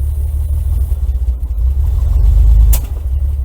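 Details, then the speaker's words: 1961 GMC K1500 4x4 with new carburetor, coil and electronic ignition, first run after sitting 15 years, cold; deep, uneven rumble stumbles and dips as throttle opens, smoother once warmed: rough running when revved, cause unclear. "Oh, that didn't sound good."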